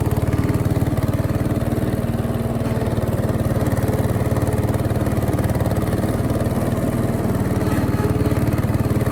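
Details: 1968 Bolens Husky 775 Husky Pup lawn tractor, restored and swapped to a Hatz 1B30 V single-cylinder diesel, mowing: steady, even thump near four beats a second holding pace while the deck cuts, normal running under load.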